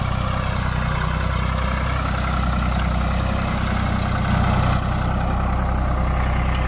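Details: Diesel engine after diesel pump repair: even, steady low clatter with smooth rhythm, no misses or stumbles; sound right and taking load properly.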